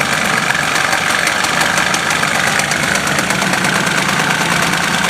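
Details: 1977 Harley-Davidson golf cart with a 250 two-stroke engine, run after years of sitting: busy, buzzy, steady fast idle with no misfire or stumble and an even tone; the engine is running fine.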